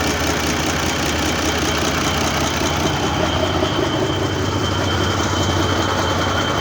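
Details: Mercedes OM401 diesel at idle: dull, loosely regular thump two to three per second under the clatter; engine knock, search for the cause just beginning.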